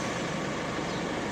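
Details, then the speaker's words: Isuzu Mu-X/D-Max automatic with hard starting and hard shifting, after cleaning the brake switch: short steady diesel drone with no stumble or hesitation; it starts promptly, confirming the brake switch was the problem. "Ayun wala na. So nawala na nilinisan ng brake switch."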